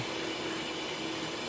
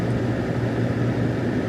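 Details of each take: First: Vehicle with P0174 lean code: constant airy hiss of air escaping at the EGR base, tube or EGR itself uncertain, vacuum leak found by smoke test. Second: Smooth, even engine drone with steady pitch and no ticks, knocks or misses from a 2002 GMC Sierra after repairing a rust-caused P0174 lean code. Fuel trims look normal. Normal running.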